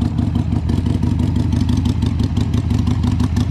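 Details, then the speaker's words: 2002 Harley-Davidson Sportster, cold, with choke, just after carburetor cleaning (fuel and air jets cleared). V-twin thumps along at about three loping beats a second, strong and even with no misses, sounding much better than before: normal running. "come on oh that sounds nice [Music] sounds a lot better can you get first well we'll let it run for a minute then we'll see if we get further but that sounds a lot better and starting a lot"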